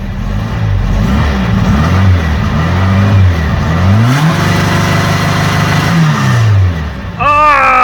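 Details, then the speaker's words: New 2234 cc motor in Blue, warmed up, free revs to rev limiter set at 6000 rpm through Sidewinder muffler: clean blips rising smoothly and holding on limiter, no knocks or rattles; healthy engine. "mon dieu ça sonne génial oh ça sonne comme Chewbacca"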